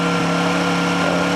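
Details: Small Honda petrol generator idling just after a cold start: a steady, even hum with no knocks, misses or surging, a clean and healthy idle.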